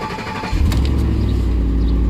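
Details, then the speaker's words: 2010 Ford F-150, which needs cam phaser/VVT work and has its check engine light on, starting once the chip-key security light stopped flashing: a short crank, then it catches within half a second into a steady, even low rumble. The start is clean and healthy. "this thing is not starting but it's not flashing it should start right up"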